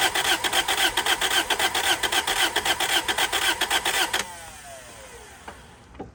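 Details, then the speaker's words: Toyota Celica project car cranks steadily at about two beats a second for four seconds after pedal pumping but never catches; owner suspects it isn't getting fuel. "I don't think it's getting fuel. I bet you if we spray starter fluid into it, it'll start."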